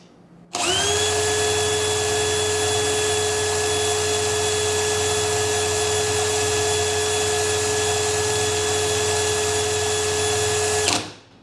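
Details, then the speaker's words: DeWalt DCD999N brushless hammer drill, hammer mode speed 3, no load, full 1.7Ah battery: motor spins up quickly to a clean, steady high whine, measured above the 2000 rpm spec; healthy no-load run. "dari suaranya sepertinya beda nih Kok bisa gitu ya kita coba tes ya ini di mode Hammer di Speed 3"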